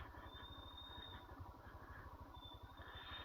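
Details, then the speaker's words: Royal Enfield Himalayan on a muddy off-road trail descent: rear brake squeals, a thin high squeal twice over the slow single-cylinder thump while engine braking; the rider leans heavily on the rear brake. "कि जैसा कि आप सुन सकते हैं, चिल्लाता है और यहां इंजन ब्रेक पर भी।"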